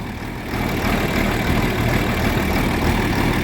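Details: John Deere 4430 tractor diesel after replacing a fuel filter with a cracked, leaking housing: steady low idle chug with an even beat, no misses or knocks; normal diesel idle.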